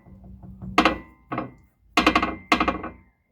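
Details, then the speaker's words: VW Up suspension, stabilizer bar bushing worn thin: four sharp metallic clunks with a brief ring as the anti-roll bar knocks in the worn bushing, before replacing the bushing and drop links. "bater assim, como vocês estão vendo."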